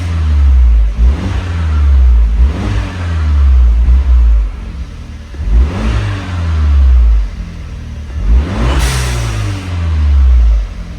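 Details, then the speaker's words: Turbocharged 2017 Fiat 124 Spider Lusso, stone cold, first start after a front-mount intercooler and big bore throttle body install. Clean, even rev blips checking throttle response and oil pressure, no knock or misfire. Response feels soft, likely from the cold. "The auto response doesn't feel great, but that's probably just because it's stone cold."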